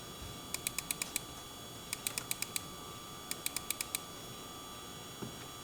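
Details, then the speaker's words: MSI RTX 4090 Suprim X gaming at native 4K, around 70°C (hotspot 77°C): a thin high coil whine over fan hiss with bursts of fast chirping ticks, common on GPUs pushing over 100 fps. "So as you can probably hear, the card has coil whine, which is quite common for modern GPUs, especially those that can push the frame rates well above 100."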